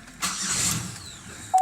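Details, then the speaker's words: Van with electronic drive-by-wire accelerator, just fitted with a new starter: brief starter cranking dies away without catching; it never starts unless the gas pedal is pressed slightly. "Yeah, see, this car, if you don't have your foot on the gas just a tad bit, it'll do that every time."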